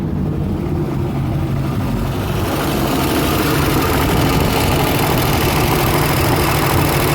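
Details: 1955 Ford V8 idling with a steady, even low rumble, no skips or stumbles. Normal idle after replacing a bad spark plug wire that caused a misfire.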